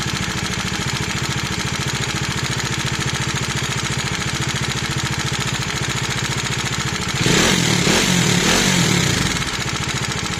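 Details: 2019 Bajaj Dominar 400 single-cylinder motorcycle idling: steady, rapid metallic tick, engine knocking and tappet noise; resolved under warranty by replacing the camshaft and rocker arm.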